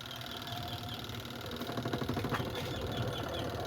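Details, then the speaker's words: Beltless washing machine spin dryer, loaded with clothes, tested after repair of the shifting part and dashboot: steady whir with a soft rhythmic thump from the load and no creak; normal spin, no creaking. "So wala na yung langitngit guys. Wala na yung langitngit."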